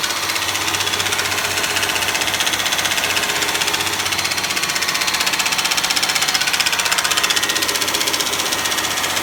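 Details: Honda Legend engine running at a constant 2000 rpm. A fast, very regular metallic tapping knock rides over the engine note; cause unknown.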